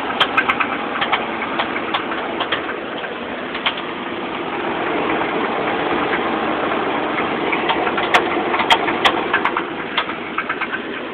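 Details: 1986 Chevrolet Silverado V8 idling with an irregular, off-and-on light rattle or knock over the engine drone; owner doubts rod knock since it isn't consistent.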